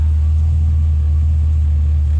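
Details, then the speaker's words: Scout 80 with junkyard LQ4 6.0 V8 swap, first start: low, steady idle around 600 rpm, running nice and even on all cylinders with no stumble or miss, no check engine light; normal idle. "so it's running nice and even on all cylinders now so let's hear what it sounds like so yeah she's running good"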